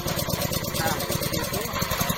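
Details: Pellet-mill petrol engine (about 2 L fuel tank) pull-started with choke pulled back, fuel valve in its inner position and throttle at middle: even, steady putter catching and settling into a smooth idle, no misses or knocks; normal idle, choke returned once running.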